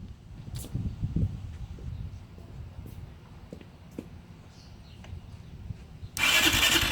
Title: 660r cranks no start